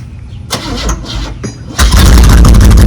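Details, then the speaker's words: 1977 Buick Electra 225 with Buick 350 V8, sat about 28–32 years, clogged catalytic converter just removed, exhaust pipes off: brief cranking, then a harsh, unmuffled roaring bark; loud exhaust from missing pipes. "Now she'll run, and she'll run cool. It's off. Let's see what the old Buick 350 sounds like with no pipe lighters on it."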